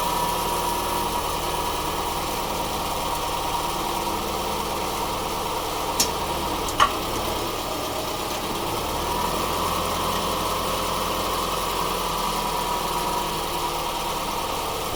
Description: Subaru Forester 2.5 xt automatic transmission clunks every time when put from park to reverse and when back to park.